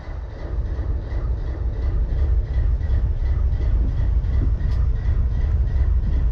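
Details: BNSF 4583 locomotive diesel idling: deep rumble with an uneven, stumbling beat instead of a smooth rhythm, a cylinder misfiring at idle.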